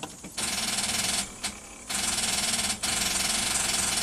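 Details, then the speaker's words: 2005 Nissan Armada V8, no crank after engine bay pressure-washing: rapid starter solenoid clicking with no cranking, battery about 11.9 V, jump start doesn't help; caused by a bad engine ground cable, fixed without parts. "however the starter sound light seems to click it acts it's acting like a dead battery or a very low battery"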